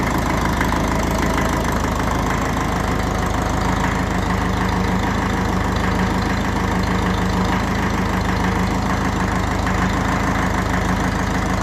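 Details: 1954 Ferguson 20 TEF diesel tractor, overhauled engine, after heater plug replaced: steady, even diesel clatter at idle with deep constant rumble and no misses; running cleanly.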